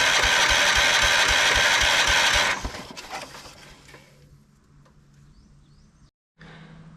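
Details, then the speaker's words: 1979 Kohler K301 12 hp, first start attempt on battery alone: even cranking that never fires; owner suspects a dry fuel pump not drawing fuel, a bad pump, or a gummed carburetor. "the fuel pump is probably dry so it's not sucking the fuel up probably otherwise it's just a bad fuel pump or the carb is gummed up"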